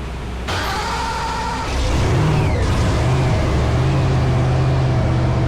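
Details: Blower Pro Mod drag car, first fire-up after changing the burst panels and refitting the blower, checking for leaks: catches after a second and settles into a loud, lumpy, steady idle with no pops or leaks; normal running.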